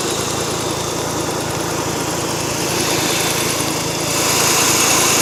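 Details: Mazda RX-8 warmed up: faint, fairly regular light ticking about four per second at idle, intermittent, about two minutes on, 15 seconds off; cause unknown.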